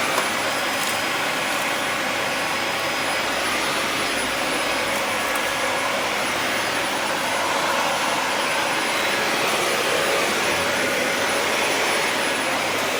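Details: Dyson DC40 upright vacuum, restarted after clearing a blockage of debris: steady, even rushing roar with constant high motor tone, no surging or rattles; running normally with clear airflow.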